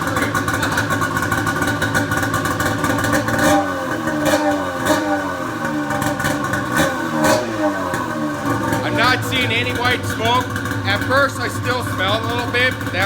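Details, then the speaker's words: Pro XR 800 two-stroke sled after replacing a torched head gasket that caused coolant burning: crackly idle then repeated sharp blips rising and falling cleanly, pulling freely with no misfire; nearly good to go. "but that is awesome super pumped this thing sounds good"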